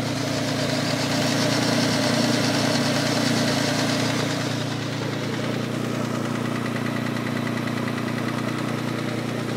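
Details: 2004 Infiniti G35 at idle: fast, fairly even tapping about four ticks a second over the engine; owner unsure whether engine knock or timing chain tensioner, unconfirmed.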